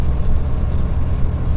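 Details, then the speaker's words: Truck diesel, air system around 11–12 bar: heavy low throbbing pulses over the diesel drone as the air compressor starts pumping when brake pressed and gear lowered under engine braking; loud compressor pumping noise. "значит вот это шум это именно компрессор начинает так работать"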